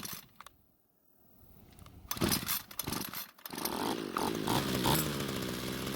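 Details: Homelite string trimmer two-stroke that wouldn't start; after it stalled once warm from lean low-speed fuel, L screw turned out about a quarter turn; small two-stroke fires and settles into steady raspy buzz, running normally.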